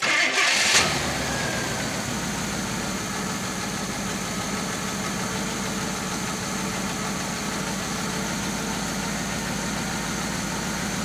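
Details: 1966 Chevy Biscayne 396 big block after fixing a dead cylinder, new plugs, wires back on: catches right away and settles into a steady, even idle with no missing beat; all cylinders firing cleanly.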